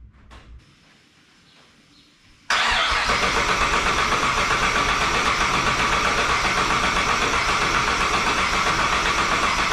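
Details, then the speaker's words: 1959 Chevy Apache twin-turbo LS3 with fresh fuel, checked injectors and plugs refitted: silence then steady fast starter cranking that never catches; crank no-start because the ECU start trigger wire was not connected. "why are you not working oh this doesn't work I'm giving up"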